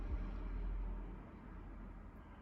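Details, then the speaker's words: Isuzu D-Max diesel running on brake clean with the crankshaft position sensor disconnected: deep, uneven low rumble that stumbles and sags rather than holding a steady beat; engine keeps running rough. "the car keeps going. So the engine is running because I'm running it on brake clean. All I need is compression for that fuel to ignite. Run higgledy-piggledy, but it's running."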